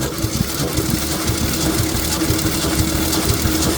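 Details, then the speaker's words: 1966 Ford F100 compression test: even, steady cranking around two beats a second, no lazy strokes; normal cranking compression, this cylinder reads 160 psi. "Okay. Well, that cylinder has a lot of compression. It's at 160."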